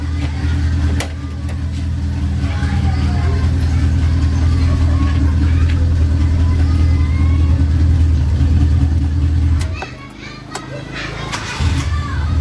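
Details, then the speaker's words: Carbureted Suzuki Katana idling after the carburetor was adjusted: steady, even low rumble with no misses or stumbles, smooth rhythmic beat; engine running calmer and well. "nah mesinnya akan lebih anteng ataupun terdengar lebih lebih adem atau lebih halus bekerja kita coba Enak Hasta ternyata"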